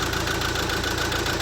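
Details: Mercedes A180 CDI with a replacement engine of only 20,000 miles, idling with an uneven lumpy stumble: a diesel misfire. The scan tool shows an injector open circuit on cylinder 3.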